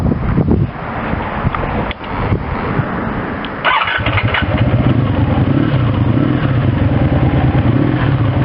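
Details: 1984 Honda V65 Sabre motorcycle, 135 hp, redline 10,000 rpm, runs great per owner: after a few cranks it catches and settles into a smooth, even idle around 750–800 rpm with a steady low beat, no knocks or rattles; normal idle.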